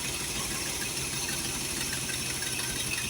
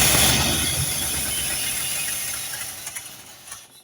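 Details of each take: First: Holley 4412 carburetor after rebuild with homemade gaskets, throttle cable left off: even, steady idle with constant rhythm and no misses or stumbling, exhaust leak still unfixed, no fuel leaks seen; normal idle. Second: Holley 4412 carburetor rebuilt for flooding or over-fueling, 72 jets fitted, old gaskets reused: loud steady hiss over a rough, fading engine note; vacuum leak, likely at a reused carburetor gasket.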